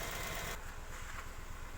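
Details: Warm idle on a Nissan Almera with code P0302, cylinder 2 misfire: uneven, lumpy pulse with a dropped beat every few firings from a faulty ignition coil.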